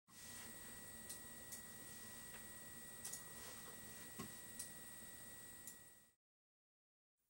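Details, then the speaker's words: AMD Radeon R9 Fury X graphics card from the initial batch with faulty pumps: thin, steady high-pitched whine at one pitch over faint hiss, then cuts out; the liquid cooler pump whine. "if you're wondering what that that high pitch wine was at the beginning of this video that my friends is a fury X Pump"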